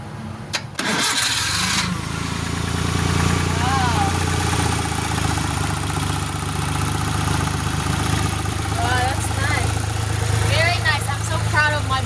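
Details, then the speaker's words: Kei turbo car under restoration, after repairing bad grounds, new battery cable and corroded ignition coil wire: short crank catches at once, settles into steady even idle without stumbling; normal start and idle. "So let's just see if it runs now the way we did fixing the ground issues and contacts."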